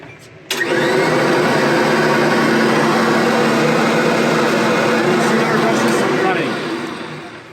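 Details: Kirby Sentria/Avalir vacuum test run right after a new belt is installed, with the belt engaged on the motor and brush roll: steady, even motor roar at constant pitch, no slapping or squeal; normal running.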